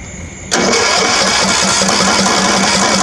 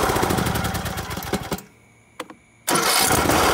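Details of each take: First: Free Craftsman riding mower, perhaps 19 horsepower, after draining old gas from tank and bowl and adding fresh fuel, carburetor not yet cleaned: catches abruptly, runs loud and ragged with uneven beat; rough running, dirty carburetor. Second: Old Craftsman riding mower after carburetor cleaning and engine reassembly: short crank, brief pause, catches and settles into steady, even run before shutoff; starts and runs well.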